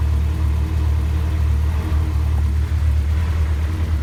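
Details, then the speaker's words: Honda CRX with all-motor B17 engine that jumped timing, bent valves suspected, cylinder 1 suspected; idling before warm-up with a deep rumble and occasional stumbles, a slight misfire before a warm compression test. "Now you can kind of hear it misfiring a little. It sounds off, so we'll let it get warmed up so we can do a warm compression test."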